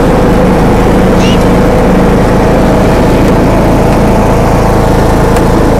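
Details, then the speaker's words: John Deere D105A riding mower after deck belt replacement, test mowing: steady even engine drone with blades turning under load, no knocks or grinding; cutting normally, blades dull. "there we go son oh there we go oh girl is ready to roll she ready to Mo that boat is working out great"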